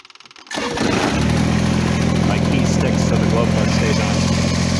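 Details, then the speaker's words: Kubota BX2350 diesel tractor after fuel tank removal, unkinked fuel line and improved fuel filter/water separator install: fires within two cranks and holds a steady, even idle with no hunting or stumbling; previously hard to start, now starts normally. "look at that, started right up. Before it would have a hard time starting."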